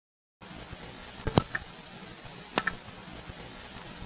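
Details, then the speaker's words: 1979 Raleigh NC recording, enhanced to be heard up close. Quiet room with two sharp mechanical clacks about a second apart. The trouble recorder dropping its card on a suspected fault. "anyway here's that card drop sound we heard earlier enhanced so you can hear it up close"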